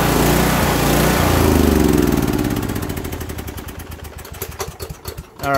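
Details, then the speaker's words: Kohler Courage 18 single-cylinder on a Toro lawn tractor with non-adjustable carburetor jet, before low idle needle adjustment: revs high then sags, pulsing about four beats a second unevenly; governor hunting surge, fuel cap vent checked clear. "looking at this toro lawn tractor and um this uh this engine likes to just surge like crazy so let me fire it up and show you what i'm talking about"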